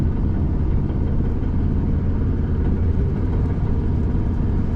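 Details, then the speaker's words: Old truck while driving after a pop heard: heavy uneven low drone from under the rear, no knock or whine; transmission works fine in reverse, driveshaft looks wobbly, owner suspects something in rear end popped. "I thought one of our propane tanks like hit the side of the truck, but something popped. Now it's making that noise. Sounds like something in the rear end popped."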